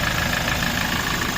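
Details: Hino 200 series truck (1GD/2GD diesel) that wouldn't start after being parked, now running after fault codes were scanned and cleared: short stretch of steady, even diesel idle with no knocks or misses.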